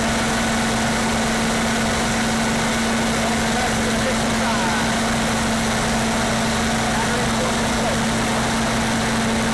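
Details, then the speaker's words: Standby generator fired up during a pre-storm test, no load and no amperage on it yet: steady, even drone with constant low hum, no knocks or surges; healthy unloaded running. "so yeah it's not a reload so there's no amperage on it at the moment I will do it under load"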